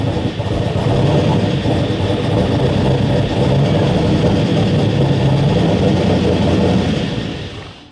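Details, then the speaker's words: Supercharged V8 GTR, first start in about a year, 60 PSI oil pressure, no coolant: loping uneven idle with irregular pulses three or four a second, not settling before dying; running rough, cam audible. "It doesn't run the best right now, as you could tell from whenever I first started it, but we're getting closer to getting it ready to start again."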